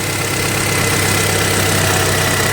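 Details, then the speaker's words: Toyota Auris 1.6 petrol, about 121,000 km, in cold weather, after replacing the noisy, non-charging original 100 A alternator and a stretched belt: quiet, even idle with a steady hum and no belt squeal or chirp; battery light off, normal idle. "Không có tiếng kêu rít. Không có lỗi. Đèn báo bình ắc quy không sáng."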